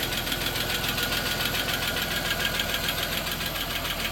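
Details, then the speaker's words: 1993 Plymouth Grand Voyager SE, first run after sitting 18 years, warming up to temperature: quick steady light tick about three per second over idle; suspected valve train noise, hoped to go away. "yeah just some valve train noise hopefully that goes away it should it's in the motor"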